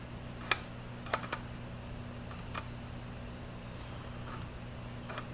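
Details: Nikon 70-200mm f/2.8 AF-S VR ED lens on a D7000 in AF-C with lock-on off. A few sharp, uneven clicks over a low hum as focus hunts, with VR on or off. Normal focus-motor behaviour, changeable via the custom autofocus settings.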